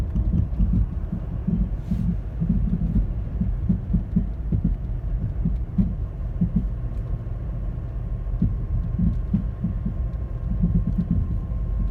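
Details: 2010 Toyota Corolla LE producing a loud thumping, popping noise, louder in person; deep irregular thumps and pops pulse under a low engine rumble, cause unknown.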